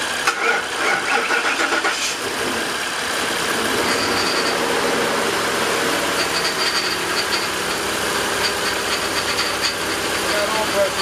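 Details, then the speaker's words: Ford F150 after swap of the 272K-mile 5.4 engine (cold start rattle) for a remanufactured engine, idling: harsh steady hissing whine, power steering reservoir empty and blowing air, pump noise from low fluid. "you did you did top off the power steering too right yeah well I I did before we started it's it's it's empty we need some more okay it's blowing air"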